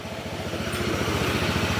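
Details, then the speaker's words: Honda PCX160 scooter, about five years old, 45,000 km, after engine overhaul for a noisy engine: even, steady single-cylinder putter with regular firing pulses and no knocks or rattles; sound back to stock. "back to stock na yung tunog yan"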